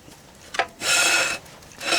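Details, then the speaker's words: Wheel turned by hand: two dry, even scraping rasps of light shoe drag on the drum. This is normal drum brake drag. "rough spot on the brakes that's that's brake Dragon there that's that's just fine that's what you want to hear actually with drums there's a little bit of drag"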